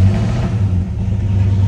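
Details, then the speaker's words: 1968 Pontiac GTO V8 at cold start, half tank of fuel, through glass-pack mufflers; deep even low rumble with steady lope at cold idle, smooth with no knocks, tachometer working. "you can see that it is indeed a cold start half tank of gas I'll show you the tachometer works just as it should oh yeah those glass packs sound great back there"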